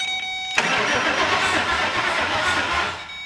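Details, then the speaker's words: Ford 5.4 4V engine in vehicle, starter jumped directly, rear wheels off ground: even steady cranking pulses about four per second under three seconds; compression sounds good, transmission also making some noise. "she's got compression it sounds like the transmission's making some noise yeah i hear that yeah it sounds good"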